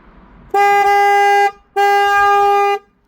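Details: Ford Fiesta Mk7: two loud one-second horn blasts as the horn fuse is inserted with nobody pressing it, alarm and hazards uncontrollable, car smells wet; horn stuck on, suspected water leak behind glovebox damaging the body control module.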